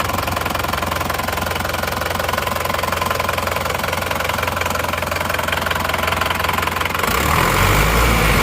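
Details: Isuzu Panther diesel after cylinder liners replaced to cure a knocking noise, warmed to operating temperature; nozzles 2 and 3 still leaking, not yet fixed; steady idle with even, regular clatter, no irregular knocks; normal idle.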